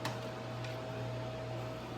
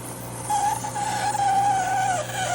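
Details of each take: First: GE Profile ice machine on a test cycle, early in ice-making: only a steady soft fan hum with a faint even whine, no grinding or squealing yet. The owner's complaint was a loud grinding noise; a clogged water hose was found later. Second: GE Profile ice machine making ice: wavering high-pitched squeal over a steady low hum as the ice struggles to come out; very solid ice backing up, later traced to a clogged water hose starving the evaporator.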